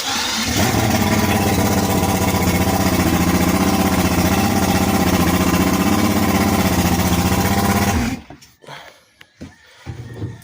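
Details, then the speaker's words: 2001 Yamaha 200 HPDI VMAX outboard that stalled when trimming, after rewiring with new ring connectors to the ignition solenoid and ground: runs smooth and even for about eight seconds with steady buzzy beat, no stumbling; normal running, wiring was the fault. "so now i'm just gonna turn on the engine just so that we can hear it on and we'll trim up and down"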